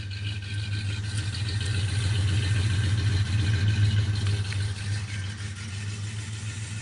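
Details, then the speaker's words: Jeep Grand Wagoneer cold start after sitting several days in rain, wind and colder temperatures; it started on the third try after about five pumps. Low, lumpy, wavering idle that swells and sags; rough cold idle struggling to stay steady. "seems like it struggles a little bit uh even with the I think it's like about five pumps still seems to struggle a little bit"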